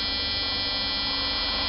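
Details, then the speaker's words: 1995-96 Jeep Cherokee XJ 4.0 petrol (UK Limited), ignition on during bypass wiring checks: a steady, unbroken, non-pulsing buzz from the immobiliser buzzer, showing the immobiliser sits after the ignition switch. "Oh buzzer actually bombed right actually that's pretty good because I've actually got that means the immobilizer is after this switch and that is so much easier beca"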